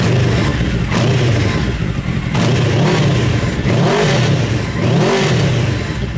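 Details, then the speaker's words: Mini trophy truck project with a four-wheel-drive, motorcycle-style engine, muffler baffle removed; loud, raspy open exhaust with crisp rev blips rising and falling cleanly. It runs normally, only slightly louder without the baffle. "difference I think it sounds better it's actually not that much of a difference I it's a little bit louder but I think it sounds better"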